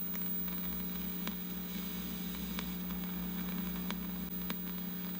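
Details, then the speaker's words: Sears Silvertone Twin Twelve 1484 amp under restoration: steady low mains hum with faint hiss and scattered sharp crackles probed at the preamp tube input, pin 7; still present with the tube removed, pointing to a passive component; out-of-spec resistors found. "There is no hum on this side at all. There's just almost none. How do you like that? Here's pin 7. This is the input."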